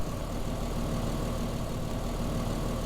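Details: Toyota Land Cruiser 80 series, previously no spark at the ignition coil, after replacing a relay: even, low idle with a steady beat, no misses or knocks; normal idle.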